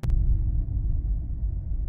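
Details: Car creeping below about 5 km/h to a stop at a red light: low droning, karaoke-speaker-like boom over faint road rumble; brake groan from vibration or resonance along the transfer path, suggested first step is replacing the brake pads.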